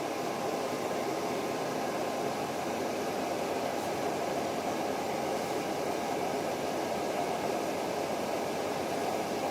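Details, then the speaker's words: Moskvich 410 heater blower motor on a bench power supply after cleaning the commutator, stretching brush springs and replacing coked grease: steady even rush of air at full speed, no squeal or rattle; it formerly ran slow with a sticking brush. "Коллектор почистил, пружинки немножко растянул, чтобы щётки лучше прилегали к коллектору ламылькам смазочку обновил, старую закоксованную смазку убрал. Вообще шикарно работает."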